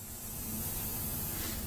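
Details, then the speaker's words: 1998 Chevrolet Blazer air ride setup, compressor running, fittings not yet Teflon-taped because not bolted down: steady soft hiss of escaping air over a low rumble; air leaking at the unsealed fitting. "Cause it is a good bit of air leaking out there. You can hear it. It still needs to be finished and finalized up, but. And the reason I didn't go ahead and Teflon tape that, because remember, these ain't bolted down yet."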